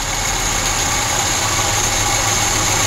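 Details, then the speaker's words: Audi converted from injection to Solex 21041 carburetor, owner complained of unstable idle and stalling; after carburetor adjustment and hose clamp tightening: smooth constant idle, even beat, no stumbles or surging; normal idle. "вот вам холостой слове вот так не холостой ход у меня сейчас работает"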